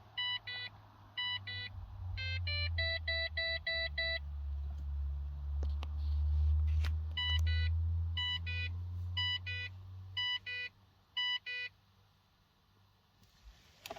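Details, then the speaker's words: 2006 Holden Berlina with suspected bad ECU, key on in cabin: repeating groups of two-tone dash warning chimes with fuel gauge error, service vehicle soon and very low fuel messages, before a no-crank condition. "when you jump in it to start it after a little while it'll come up with a fuel gauge era contact dealer service vehicle soon and very low fuel"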